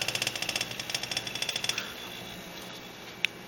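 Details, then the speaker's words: Refrigerator making frequent clacking, rattling and gurgling, owner suspects compressor: fast sharp clacking rattle for about two seconds then quiet hum; cause unknown, not confirmed. "let's see what would make that rattle I don't know it's not like an air bubble moving around inside"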